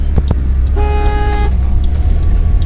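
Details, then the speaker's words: 2007 Pontiac Solstice original single horn, which only works sometimes, engine running: one short thin honk under a second, feeble and lacking punch; weak horn, to be replaced with dual horns. "You hear how terrible that horn is? Time to get rid of this wimpy horn on the Solstice. It only works sometimes anyways."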